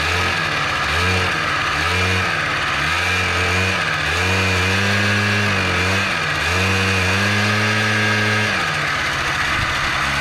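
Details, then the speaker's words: Honda Spree two-stroke scooter (probably 1984 engine, 1987 frame) after starter and bendix replacement fixed hard cranking: catches and revs in short uneven bursts, sagging when throttle closes, then dies; carb not getting fuel suspected; stalling at idle. "hey uh well fix the starting now we just got a carb not getting fuel problem so go ahead and work on that next"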